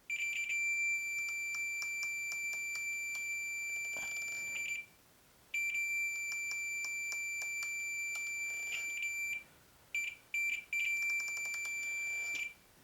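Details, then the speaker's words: A meter continuity test on the throttle safety switch of a 1992 Arctic Cat snowmobile with an ignition problem, since the engine can't run unless it beeps. A steady high-pitched beep with a few short gaps shows the switch is closed and passing current. "that engine can't run unless that beeps so that will fix the ignition problem"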